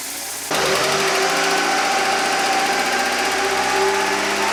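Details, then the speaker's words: Car that mostly sits, idling while Rislone engine treatment is poured in: fast, light, even ticking over the hum, in time with idle speed; sticking hydraulic lifter/lash adjuster, tapping later gone. "because the car sits now it has the Bell lifter noise you know tapping sound from a lifter"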